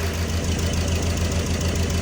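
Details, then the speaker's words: Mercedes Vito diesel idling with an uneven, lumpy low thump as cylinder 1 drops out; code 2141-4, cylinder 1 injector signal interrupted, injectors tested, scope showed no ECU output; ECU faulty, suspected lost injector driver, to be sent for repair. "as you can see from using the scope the ECU was found to be faulty we suspect that it lost a driver we're going to send it away for repair"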